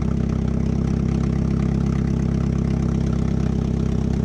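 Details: GM V8, first start, exhaust manifold not fully bolted on, no radiator yet: deep even rumble, steady firing, loud open exhaust note; idles smoothly and healthy.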